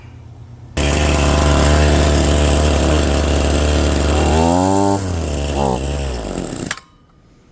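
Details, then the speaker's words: Redmax BCZ260TS line trimmer after installing a new carburetor starts right away, holds a strong steady idle and revs cleanly twice without bogging; the new carburetor fixed the running problem, though the throttle was still sticking. "Well, it started right up. That seemed to have fixed the problem."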